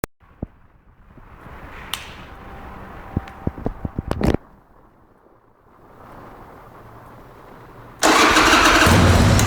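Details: Buell X1 motorcycle won't start: a few clicks, a pause, then hard starter cranking that never fires; the cause turned out to be a failed fuel pump.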